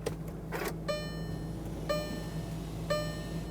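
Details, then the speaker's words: 2017 Volkswagen Tiguan 2.0L four-cylinder after fuel pump module replacement, battery reconnected, key on engine off: steady low electric hum from tank with soft chimes about once a second; normal pump priming, engine then starts right up. "You can hear the pump pumping."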